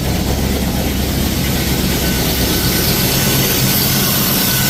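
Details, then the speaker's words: Ford Falcon XB hardtop V8 during restoration run with no coolant in it: loud, even fast idle with no knock or tapping, the earlier noise now gone; normal running. "She's got no water in it, so that's about as long as I want to run it. But yeah, that's that noise is gone now."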